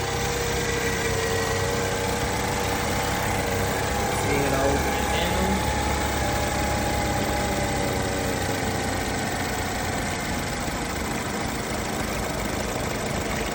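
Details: 2012 BMW 528i xDrive after thermostat replacement and clearing the thermostat code: engine catches and settles into a smooth, even idle with steady low hum, no ticking or misfire; running normally.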